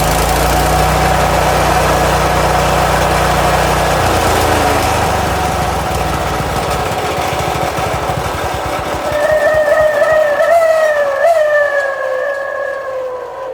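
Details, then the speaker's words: Toro SG-6 stump grinder with Honda GX200, new carb, fuel filter, fuel line and fresh fuel, no choke: runs briefly then dies after about four seconds as if starved of gas; the problem was ultimately traced to oil level. "So that's what I was seeing before. It fires off, but then it acts like it's not getting gas. Nope, not getting gas at all."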